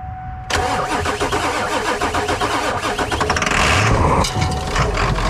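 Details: 1996 Ford F250 7.3L Powerstroke diesel revived after sitting, started with starting fluid: short whine then sudden loud catch into rough clattering diesel idle that settles and holds; healthy start.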